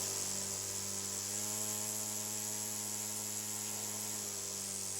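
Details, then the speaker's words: Two-stroke engine after head gasket replacement (loose head bolts had caused an air leak); high-pitched buzz holds dead steady through the rev range, even tipped on its side, no surging; carb tuned slightly rich, no air leak. "Sounds nice and consistent through all the range. Again, I'm tipping on its side to see if it stalls out, and it doesn't even fluctuate."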